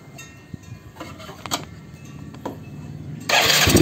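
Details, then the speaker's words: Yamaha Mio just after PE24 carburetor service, carb bowl empty of fuel, started with choke pulled: several weak starter cranks and sputters before the engine suddenly catches and roars up; reluctant start needing choke. "Agak sulit nyala karena baru habis selesai kita servis, jadi harus sambil tarik cuk."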